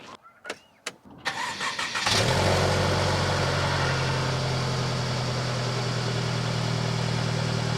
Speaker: Take a listen to that unit purr. And listen to this little kitty purr right here.